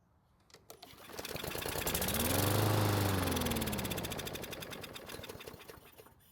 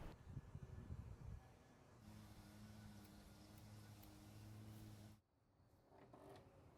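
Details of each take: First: Craftsman mower that sat a long time in a garage, engine primed with gasoline after it wouldn't even try to start: catches, rapid popping run for a few seconds, then dies; fuel delivery fault, fuel not reaching engine or bad fuel in tank. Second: Craftsman mower that sat long in a garage and would not start, after repair with recoil assembly replaced: it pops into life, then settles to a steady even drone with no misfire or surging.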